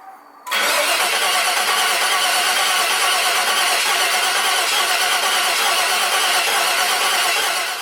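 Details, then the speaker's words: Vortec LS engine swapped into a 2003 Jeep TJ, first start attempt: starter whirs steadily about seven seconds, around three turns a second, never catches; crank no start, ECU power dropping out during cranking. "As you just seen, I went to start up my LS motor, our Vortec motor that's in my 2003 Jeep TJ. Spent a lot of time, a lot of effort putting this together. Of course, you just saw crank, no start."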